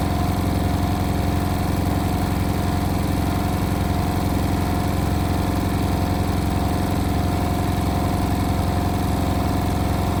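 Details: Indesit WIL143 washing machine on final 1400 rpm spin: a steady motor drone with a regular low throb, about 220 a minute; strange noise, cause unknown.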